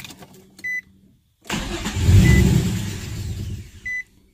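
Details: Nissan VQ35DE (G35/350Z) warm start after an idle relearn: it chimes, starts briefly, surges, then sags and dies within about two seconds. The relearn did not fix the stalling and idle will not hold 650 rpm; dirty throttle body suspected.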